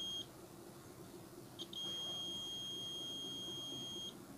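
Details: Samsung CRT TV that was dead, with no screen, no LED and only a tik-tik sound: the meter gives a steady high continuity beep for about two seconds across the power transistor, showing a dead short.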